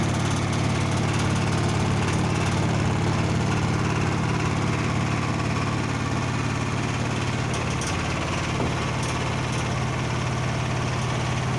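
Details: Blomberg washer, example 2, warranty repair requested: heavy, steady rumble with a low droning vibration through the fast spin, far louder than normal; source not identified.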